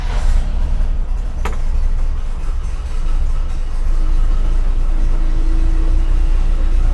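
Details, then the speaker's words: Grain truck with new dual exhaust and dipstick tube, started after a recent run, idling; much quieter, deep even rumble without the former exhaust-leak ticking or puffing; healthy exhaust note. "Holy that's so much quieter. It doesn't sound right. Not going from the exhaust leaks. That dual exhaust sounds good on there."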